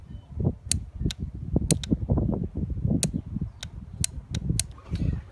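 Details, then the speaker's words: 2005–2011 Hyundai/Kia EVAP purge solenoid, P0496 high purge flow, bench-tested on battery power: sharp, crisp clicks each time power is applied, so the valve opens and closes properly; the vent valve under the vehicle may be the problem. "the check valve is definitely working as far as getting a connection to the sensor opening and closing with the proper power"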